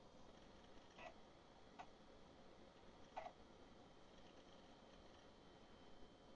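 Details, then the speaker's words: Canon NoteJet II 486C mid-90s laptop floppy drive reading Windows for Workgroups disk one: few soft irregular ticks and short seeks, no grinding; drive reading normally. "i need windows for work groups disc one and i just happen to have it right here that sounds like it's reading okay"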